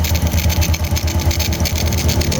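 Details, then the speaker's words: Honda Wave 100 single-cylinder engine, previously very noisy, idling quietly and evenly after repair (connecting rod not replaced). Soft bubbling comes from oil circulating up into the open head, confirming the oil pump works. "So paandarin natin. Tingnan natin kung tahimik. So ayan tahimik na tahimik mga master."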